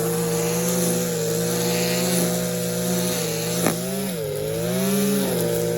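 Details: Stihl KM94 RC combi powerhead after rebuild with new bearings, seals and carb work, strimming: high, even buzz rising and falling smoothly with throttle, no misfires or rattles; running well.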